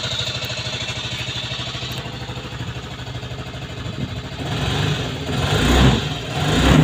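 Small single chuffs along at an even idle pulse, then picks up cleanly when revved; the engine runs normally.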